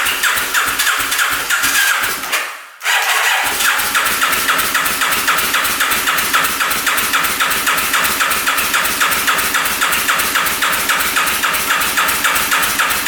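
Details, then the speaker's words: 1991 Kawasaki Vulcan 1200cc motorcycle cranking on a new battery with jumpers: steady starter cranking at three to four beats a second, never catching, only backfiring on fuel; owner suspects timing off or a bent valve, no compression on one cylinder. "Well, both jumpers are dead, brand new battery dead. This thing will not fire up. I've tried pouring gas directly down the cylinder, directly down the carb. All it does is backfire."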